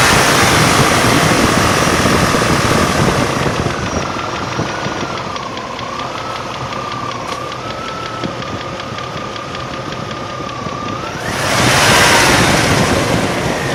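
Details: 1998 Range Rover P38 4.6 HSE at idle: quick, even light ticking about four per second with a faint drifting whine. Owner hopes it is a worn cam with one tappet bouncing; not confirmed.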